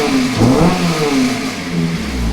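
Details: 2001 Toyota MR2 with Honda K24 engine swap, not yet tuned: engine climbs smoothly through a quick free rev and settles back with no knock or rattle, healthy and muffled.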